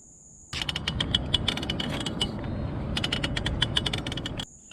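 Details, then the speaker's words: Rad Rover e-bike at about 550 miles, pedalling: rapid irregular gritty metallic clicking and grinding in loud bursts; worn bottom bracket, the main bearing the pedals attach to. "So it turns out that it's your bottom bracket, and it's the main bearing that your pedal's attached to."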